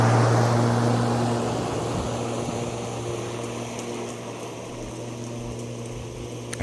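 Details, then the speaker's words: YardForce 48V electric riding lawn mower, heard standing right next to it: steady fan-like whir over a low even hum, no engine beat or firing pulses; normal running, healthy. "standing right next to the lawnmower it sounds like an industrial strength fan so really loud just fan noises not lawnmower noises as a traditional tractor or lawn mower would do"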